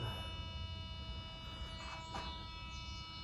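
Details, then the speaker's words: BSA A10 650cc with a Lucas K2F magneto and auto advance, being timed with a buzzer. The buzzer holds a steady, unbroken sound after finger-tightening. The points are still at the correct timing position. "Right, I've done it up tight with my finger, still in the right position as we can hear."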